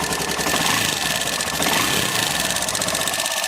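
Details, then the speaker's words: Nearly new Hero Passion Pro BS6 motorcycle at idle: fast sharp metallic ticking over the idle throughout; valvetrain ticking from loose tappets and timing chain, head cover to be opened and chain tensioner checked. "इसका sound हो चुका है time व sound कर रहा है र्पेट का पूरा साउंड कर रहा है"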